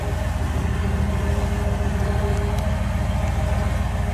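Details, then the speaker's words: Unnamed vehicle warming up on a 95°F day, choke and mixture set very lean: low, steady idle pulsing about three times a second, even with no stumble or miss; normal warm-up idle, 'sounds pretty good'. "Okay, sounds pretty good. I'll let warm up a while."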